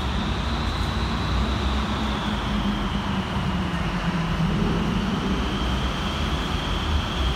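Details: Gemini 2 bodied bus (VW1407, LK13 BHY) cruising: a steady high-pitched whine rides over the deep diesel drone and road rumble. There is an abnormal driveline or engine noise.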